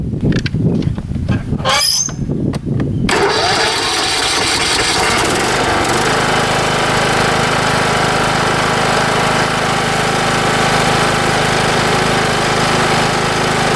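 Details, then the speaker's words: Craftsman YS4500 riding mower just after routine maintenance (new oil, oil filter, air filter, plug, blades; oil unchanged about 2–3 years), sat all winter on old gas; cranks about three seconds, catches, settles to steady even run, no misses or knocks, normal start and idle. "it this thing run about as good as you can ask since I got it uh it sets all winter with that crappy gas in it and it fires right"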